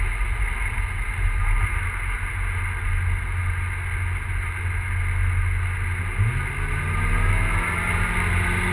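Low uneven rumble with occasional stumbles as revs rise, the beat not quite steady; turbo engine misfiring, cause unknown.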